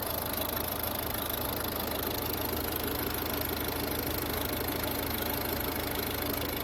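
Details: Chrysler 3.6 V6 at idle; light, fairly regular ticking about two a second over a steady idle, typical of worn camshafts on this engine; cause suspected, not confirmed.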